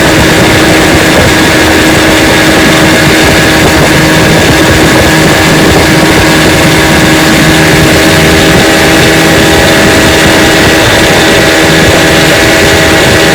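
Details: 1955 Johnson Seahorse 10 hp outboard, restored with rebuilt ignition, carburetor and gearcase, pushing a 14 ft john boat about 18 mph: loud, even two-stroke buzz held at speed, no misses or surging; normal running under load.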